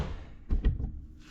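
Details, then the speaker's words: 2008 Cadillac CTS, LS swapped, 180,000 miles: after replacing the driver's door lock actuator, two quick solid clunks then quiet as the new actuator throws the latch cleanly; door works after months of not opening. "You can hear the actuator working."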